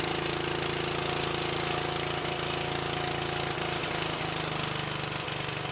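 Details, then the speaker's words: Old small single-cylinder engine on power equipment saved from the dump, started on choke at full throttle: steady, even putter holding speed with no misses or knocks; normal running. "Listen to that purr. See how low we can get it to go."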